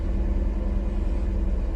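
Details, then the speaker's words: BMW E36, cold start after sitting two days: deep, low idle with an unsteady, lumpy pulse, rougher than usual; it sputters and goes into limp mode once warm, and plugs, coil packs and wires are to be checked. "just a cold start it's actually I don't know a little bit rougher than usual already before I even um for the temp got cold so yeah you can kind of tell me pretty bad this far"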